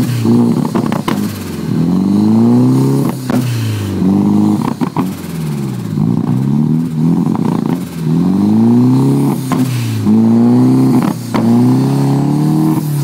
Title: Ross 240sx rough idle